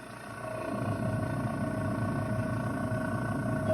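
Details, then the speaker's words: Refrigerator that sometimes cuts off but still makes ice: steady droning hum with a whirring tone that rises at first; the fan motor was found to cause the noise and was replaced. "Her fridge is making a weird noise. And she said sometimes it cuts off on her, but it's getting ice. We're gonna make sure it's not her compressor or her fan."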